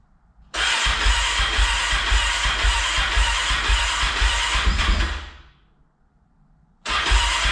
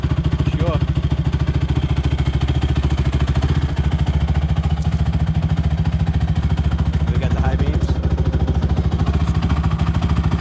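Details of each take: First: Rebuilt Honda TRX450ER on first start after fitting a new fuel line, with carburetor O-rings leaking fuel: it fires into uneven, lumpy thumping, dies after about four seconds, then restarts. Rough running; cause unconfirmed. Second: Rebuilt Honda TRX450ER single-cylinder ATV on a ride up the street through all the gears: a deep, even, steady thump with no knocks or misses. It runs nice and sounds good after the rebuild.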